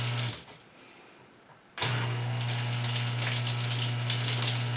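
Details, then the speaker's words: GE GDF520PSF4SS dishwasher that won't drain, filter already cleaned, started then reset by holding start: after a short pause the drain pump starts with a steady low hum and a gritty, crunching rattle; owner suspects something blocking inside the pump. "And after it resets, you can hear it trying to drain, and you can hear crunchiness."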